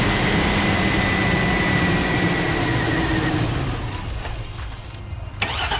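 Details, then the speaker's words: 2002 Cadillac Escalade barn find, parked about five years with old gas, first start after reconnecting fuel lines: engine runs lumpy and uneven with an irregular stumble, like a misfire. Owner suspects stale fuel from long storage. "obviously it's running like crap but the last time this thing passed the safety inspection was in 2015"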